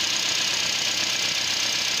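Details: Nissan Versa that had low power and code P0304 (cylinder 4 misfire), after the ignition coil was changed: idle holds steady and even with no stumble or skipped beats under the hiss, all cylinders pulling evenly; normal idle.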